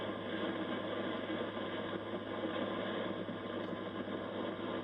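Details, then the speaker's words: Yaesu FTDX3000 ham radio on FT8, owner fighting RF getting into the USB cable despite ferrite beads: constant loud hiss with low hum underneath, no signals breaking through; high receiver noise floor from interference of unclear origin. "But I got all that interference too."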